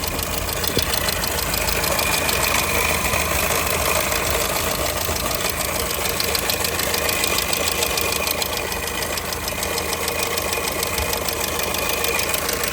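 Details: 2002 Skoda Fabia engine at steady idle with a sharp, regular ticking knock about three per second. The owner asks what could be knocking; internal engine knock with the cause not identified.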